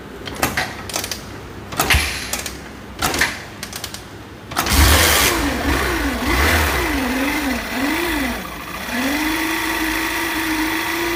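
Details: Hero HK bike stator coil (with pulsar coil): engine runs with a steady hum that wavers in pitch as revs rise and fall; faulty stator coil, linked to dim headlight and starting trouble.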